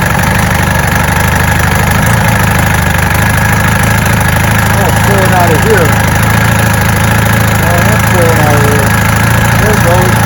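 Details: 1965 Evinrude Electromatic 75 hp outboard after new water pump impeller and serviced lower unit: steady low burble with even beat, no misses or knocks, idling healthily and pumping water well from the exhaust relief hole.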